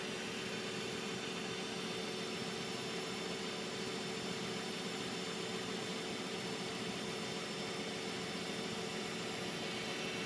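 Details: An Infiniti G35 idles with a steady whine and hum over a hissy engine sound, unchanging throughout. The owner asks what the whining humming noise is; the cause is unknown.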